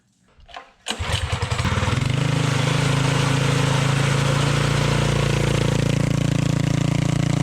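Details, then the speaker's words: Tillotson 212-powered Rascal Lite mini bike with GoPowerSports mechanical fuel injection carburetor, performance cam, test pipe, wideband O2 tuning: engine catches into steady deep, lazy, soft-edged idle; running richer than last time, owner richening a quarter turn left. "Running a little bit more rich than it was last time, so maybe I'll richen it up just a little bit more."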